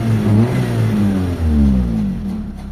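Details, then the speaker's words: Mitsubishi Lancer 4G15 engine that had a hunting, too-high 1500 rpm idle, after idle calibration: revs up then falls smoothly to a steady idle with no dips or hunting; quiet, idle no longer drops. "So ayan, okay na yung idle natin mga boss. Tahimik na yung makina. Wala na yung dropping."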